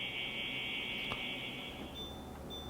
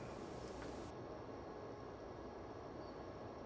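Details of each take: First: Worn, noisy fan motor in a Winix air purifier (C535/C545/5300 family) before motor replacement: steady high-pitched whine at constant speed, then drops away; after the new motor, only airflow noise remains. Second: Winix air purifier (C535/C545/5300 series) after replacing the noisy fan motor with a new one: motor noise gone, only a soft even rush of air with a faint inverter hum in the background; normal fan running.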